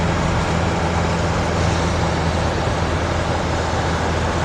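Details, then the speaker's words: 1988 Mercedes T1 207D camper van with swapped-in CDI diesel, cruising about 60 mph at 2,500 rpm, in cab: even diesel drone blending with road noise, no knocks or shudders; lovely and quiet, no shakes, wobbles or prop shaft vibration; normal cruise. "It's lovely and quiet in there. No shakes, no wobbles, no prop shaft vibrations, nothing."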